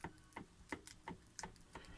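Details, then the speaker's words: Ford Focus ST170/SVT steering rack removed and stripped in a vise, shaft lifted up and down: sharp metallic knocks about every third of a second, possibly from a worn yoke part; tightening the yoke adjustment seemingly can fix rack knock. "that's the knocking that I was getting in the rack. Now what comes out of there is this little part, and I think the culprit is that was worn."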